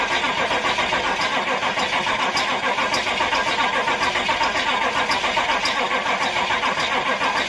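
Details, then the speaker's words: Crew cab C20 with indirect-injection 89 hp engine; slow, even cranking around three and a half turns per second that tapers off and never catches: crank no start from insufficient cranking power. "okay we're going to let this sit for a bit and build up some juice cuz uh it's still kind of tapered off the end there"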